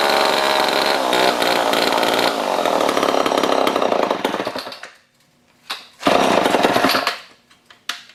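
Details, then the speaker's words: Old Homelite chainsaw revived after over a year in a scrap pile, started with choke: a rough, buzzy two-stroke blipping up to speed and dropping back to idle between short revs. Reasonable for its age. Normal running and revving. "I'd say it's not too bad for something that's been sitting outside for God knows how many years"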